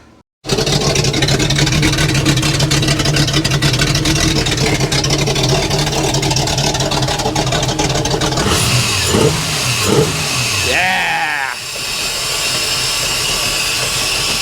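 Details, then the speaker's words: 1989 Wellcraft with a Mercruiser 350 Magnum converted from a Quadrajet carburetor to Jegs Bandit throttle-body EFI, run in the rain after a loose fuel filter leak: steady rumble with throttle blips; runs well, throttle linkage needs adjusting. "all right I'm completely it's raining we're going to shut it down everything sounds good need to adjust the throttle linkage"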